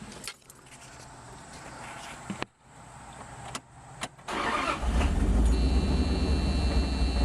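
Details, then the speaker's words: Wood-gas truck with a new automixer, started after closing the air valve fully: a few starter clicks, then it catches into a smooth, steady idle as the automixer sets the valve to the proper position automatically. Normal start and idle. "it right back up again we're back to a good smooth idle so it is working it is setting the uh the valve in the proper place automatically"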